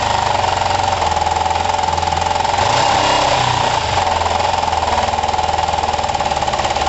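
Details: Kawasaki ER5 twin, after carb float height work, with good spark on both cylinders and new coils: uneven, lumpy running with a hard buzz and weird spit-back through the intake. The owner suspects the carbs; it seems slightly better but not perfect, with a compression test next.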